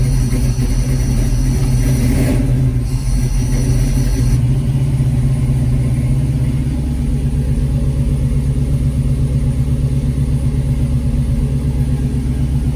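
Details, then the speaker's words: 1970 Challenger with swapped 5.7 Gen 3 Hemi, Holley Terminator X ECU, long-tube headers and dual Flowmaster mufflers, first start-up: deep, steady V8 burble idling on its own with good oil pressure, no misses or knocks; healthy. "Got good oil pressure. And it's actually idling. It's idling on its own. That's awesome."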